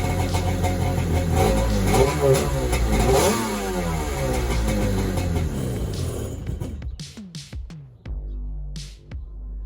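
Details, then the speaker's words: Xi 750 jet ski with a swapped-in SS 650 engine, first start after rewiring, freshly fueled and choked by hand. The engine catches and revs smoothly, then drops to a few light clicks with no rattles or misfire; quiet, sounds good. Normal running. "that sounds good quiet that's good"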